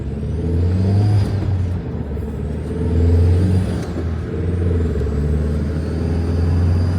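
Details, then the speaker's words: Turbocharged Mk1 Audi TT under hard acceleration on a back road, just after a wastegate repair: a sudden pop, then no power and no boost. The engine drones with a thin turbo whistle and no blow-off hiss; boost seems to be leaking, possibly from a blown-off boot. "Then all of a sudden I hear a pop, and then there's no power. The turbocharger sounds all weird."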